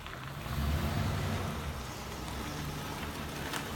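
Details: 2007 Ford Crown Victoria, misfire on cylinder 8 after the car shook violently while passing on the highway and went into limp mode; uneven, loping idle with irregular low stumble as one cylinder drops out.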